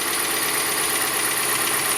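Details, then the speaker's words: Dodge Ram 1500 at start-up and idle: a constant, high-pitched shrill squeal over a quiet idle; the belt is visibly worn, and the belt and pulley are suspected and replaced. "a little bit that I think it's the belt and probably also the pulley. So, we will be replacing the belt and the pulley. It's not really quick, pretty really loud, but you can hear it from here."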